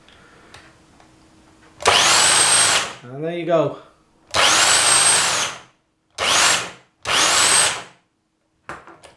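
Short bursts of an even, high motor buzz with clean starts and stops between; the trimmer runs smoothly and sounds healthy.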